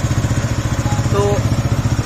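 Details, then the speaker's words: Suzuki GSX-R motorcycle at about 21,000 km idling: steady thump with a thin, whistle-like chirp now and then; an engine stethoscope traces it to a failing water pump seal and bearing, which were then repaired. "এখানে এই water পাম্পে seal এবং bearing এ যদি সমস্যা হয়, তাহলে সেই ক্ষেত্রে জিএক্স এক্সার এর সাইড দিয়ে এরকম বাঁশির মতন শব্দ বাজতে থাকে।"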